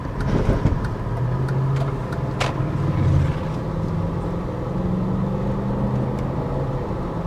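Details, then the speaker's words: BMW E53 X5 4.6is in D mode towing ~950 kg empty trailer: engine note climbs then drops cleanly on upshifts, trailer rattling; automatic gearbox shifting smoothly under load, normal. "shifting nicely this trailer does weigh about 950ish kilos so it's a fair bit of load for the car to be pulling it's a good workout for the gearbox"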